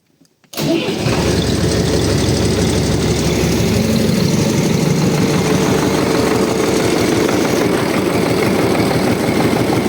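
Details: 2009 tractor at 7,566 engine hours, first start after a January 2025 engine rebuild, still cold. Starts instantly into a steady, even diesel clatter about three beats a second, no misses, no smoke, oil pressure about 4; normal start and idle.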